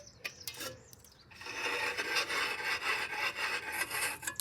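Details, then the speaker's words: Severely rusty Murray mower that sat outdoors a long time, turned over by hand: dry, gritty scraping rasp rising and falling about twice a second; rust on the flywheel rubbing past the ignition coil. "Just turning it over, you can hear all that rust rubbing past the coil."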